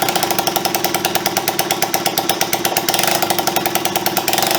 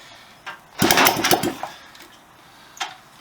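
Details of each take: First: Honda CB125S after engine restoration and carburettor refit, first kick-start in years, timing possibly slightly advanced: quick, regular single-cylinder firing pulses holding steady with light throttle; runs evenly. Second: Honda CB125S after engine restoration, carburettor and fuel system refitted, first kick-start attempt in years with choke: a kick, a short ragged burst that dies within a second; fires but won't keep running, timing suspected too early.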